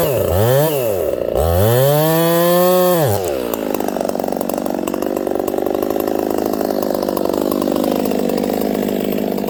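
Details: Ported Homelite 922 chainsaw after clutch and fuel line repair and a cooler heat range plug: fires and revs cleanly twice, then holds a strong, steady note through the cut without bogging; normal running.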